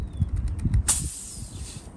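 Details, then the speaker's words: MSR XGK white gas stove fuel bottle: handling clicks, then a sharp hiss fading over about a second as bottle pressure vents while the pump is unscrewed, spraying fuel; normal pressure release. "but when you open this it will spray fuel all over the place there's no way to avoid that so you just open this"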